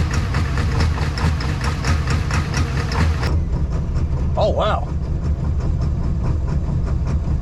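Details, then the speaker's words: 7.3 Powerstroke diesel, tuned, cold start with a little less timing: sharp, regular popping knock over a deep rumbling idle, then settles; sounds like spark knock though diesels don't spark knock. Cold start knock, cause not confirmed. "that's right this here with a little less uh timing in that cold start it's really popping today that sounds like a sparknot well I mean these don't spark not"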